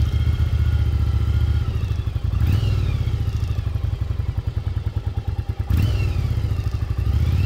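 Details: 1996 Yamaha Virago XV750 V-twin, sat untouched about 10 years in a garage, now cleaned up, test ride: lumpy exhaust beat climbing in pitch through each gear, pulling cleanly with no misses; running healthily.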